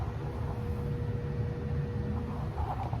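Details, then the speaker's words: Broan bathroom ceiling exhaust fan switched on: steady low electrical hum, no airflow, motor energised but stalled; earlier squealed then ran, owner guesses bearings locked up, motor assembly to be replaced. "When I hit the switch for to turn on the bathroom ceiling fan, it doesn't do anything. It makes a humming noise."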